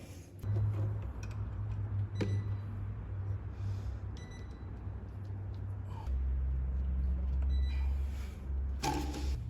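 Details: Fiat 147 carbureted engine idling right after start-up, just fitted with a new electric fuel pump replacing the mechanical one, pump audibly noisy; low, even rumble with a steady beat and no misses, normal idle.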